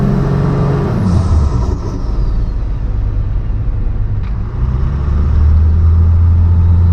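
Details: 12-valve Cummins diesel truck with compound turbos, warmed up, after sealing boost leaks: deep steady drone pulling evenly through the gears from a first-gear takeoff at about five pounds boost, no intake hiss or chuff; crisper off-idle response, healthy.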